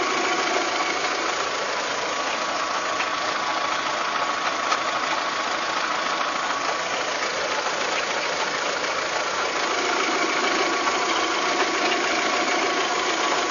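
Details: VW Golf 3 engine at steady idle with a fast, somewhat irregular metallic knock of about three per second. It is an abnormal internal engine knock whose cause is not yet found, in a clip tied to fitting cylinder-head parts.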